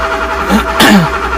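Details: Porsche 928 V8 with open headers, sat all winter and unstarted 15+ years; brief uneven cranking with a couple of weak pops, never catches, tach barely fluttering; no-start from crank position sensor connector fault.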